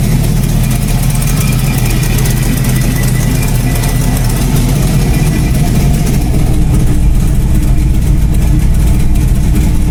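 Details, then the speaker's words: Chevy Blazer with an LS V8 swap: a deep, lumpy V8 idle with a raspy, puffing chuff over the exhaust note. There is an audible exhaust leak, still to be fixed. ">> So, sounds really mean. There is an exhaust leak. I know everybody can hear that. I will fix that."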